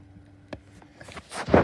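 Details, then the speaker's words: 2019 12-inch desk fan on low: faint motor hum broken by irregular scratchy, rubbing bursts from bad bearings, getting worse; the blade is also slightly bent. "the scratching noises are really bad worse than knight actually"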